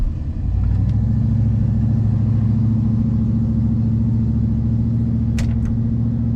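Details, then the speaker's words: 1965 Impala SS V8 idling on a hot day right after its first drag pass: loose uneven valvetrain tick, three or four per second, over a deep rumble; oil pressure is great, owner unsure if it's a knock; turned out to be a broken lifter. "yeah i don't know if you guys can hear that or not but shoot that is very ungood we've got i we got great oil pressure okay great oil pressure i can't tell if we get a knock or what's going on"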